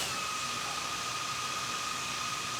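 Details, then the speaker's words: DJI Mavic 2 Pro with stock DJI props idling on the ground: an even high-pitched whirr with no buzzing or shaking. The drone stays in place without moving. "and as you can see it's idling in one place not moving at all this is the mavic 2 pro"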